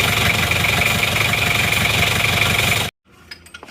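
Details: Isuzu Panther Miyabi diesel after engine overhaul, hot, ticking over with an even, crisp clatter before switch-off; no smoke, glow plug wiring later fixed; normal warm idle.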